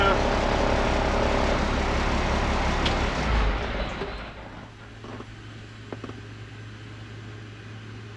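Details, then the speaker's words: International IH 4900 truck after replacing a leaking airbrake parking valve, running to build air pressure then shut off: quiet with no hiss or bleeding air; no air leaks. "I don't hear air coming out of anything."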